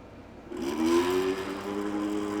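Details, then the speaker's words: 2019 Ariel Rider dual-motor e-bike, front hub motor: rough, wavering buzzy whine with heavy vibration and noise, motor not working well while the rear motor works fine; cause not yet confirmed. "It's vibrating, making a ton of noise, and it's not working very well. That's not good."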